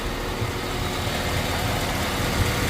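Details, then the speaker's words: 2006 Chevrolet Silverado A/C not cooling, broken 5 V reference wire from PCM to high-pressure switch, now jumpered: steady low idle with A/C compressor running and cycling normally, no grinding or squeal. "and now the AC is working you can hear it cycling"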